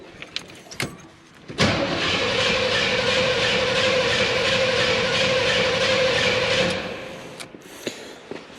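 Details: Abandoned K5 Blazer cranking with the carb sprayed and fuel audibly returning to the bowl; spark is unknown and the firing order is later found wrong. The starter cranks steadily at about three turns a second for five seconds without catching; crank, no start.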